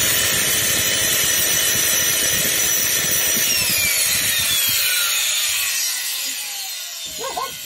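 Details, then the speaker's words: Bosch vxbsgs05v1 vacuum, 700 W motor, smells of smoke about 20 s after switch-on, previously run without filter, overheating from weak airflow: high-pitched motor whine with harsh crackling hiss, then winding down; burnt motor with sparking rotor. "сейчас включу и покажу как это выглядит реально что значит искрит ротор"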